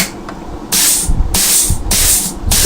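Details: Rebuilt Trimatic TH180/3L30 automatic transmission (Holden Commodore) on test plate: four sharp compressed-air hiss bursts, each ending in a firm thump as clutches and servo apply cleanly; normal air test.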